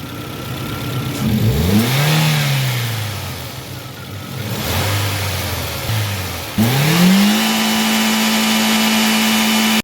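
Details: Toyota Corolla after repairing a rare two-cylinder misfire: petrol engine revs up and settles smoothly, even note, no misfire stumble.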